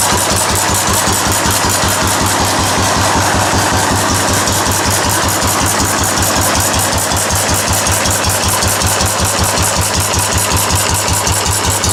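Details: Restored 4 hp Cushman Binder single-cylinder engine with wide flywheel, original paint and tank, started stone cold after priming: strong even exhaust beats about two and a half per second, no misses or knocks; runs well after restoration.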